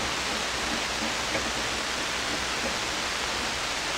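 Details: SP-600 communications receiver just after the rebuilt RF deck was installed, supply at only 92 volts: very hissy steady even hiss across the band, no stations or tones; it seems to be working but pulling in no signals.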